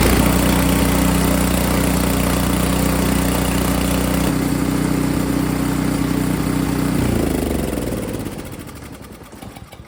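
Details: Snowblower after installing an eBay replacement carburetor and new spark plug: small engine holds a steady, even beat about seven seconds, then winds down smoothly at shutoff; runs clean and healthy.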